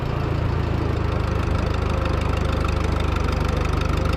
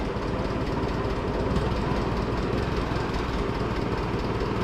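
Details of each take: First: Oliver Super 44 tractor after sitting almost a year, good plugs, owner suspected a sticky valve and sticking distributor advance: under brake load it fires evenly, all four cylinders pulling with no misses; normal running under load. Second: Oliver tractor (440 or Super 44) restarted after sitting almost a year, warming up: low, lumpy idle with uneven beat and stumbles; rough running, owner suspects he forgot to turn the gas back on.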